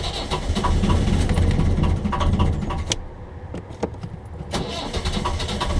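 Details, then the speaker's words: 1.5 BMC diesel boat engine on glow plug changing day: heavy uneven cranking chug that catches briefly, stumbles and dies without idling; it does this at every start. "can hear she's catching but not quite starting. I'll try again. And this happens every time I start the engine."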